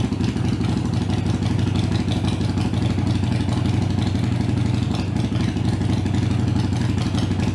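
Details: Harley-Davidson Iron 883 V-twin before Booster setting meant to reduce engine heat: even, loping idle, deep and steady at about four beats a second with no misses or clatter; idling cleanly.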